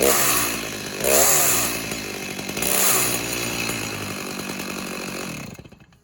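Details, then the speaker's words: Stihl MS290 two-stroke chainsaw with a Stihl Light 04 bar, revving up and settling: a rough, uneven chattering rasp from the clutch area, caused by the wrong bar and chain on a clutch sprocket that needs replacing. "Yep, there's a noise there. All right, so we'll let him know that the wrong bar and chain is on this and that the sprocket needs to be bought for it also."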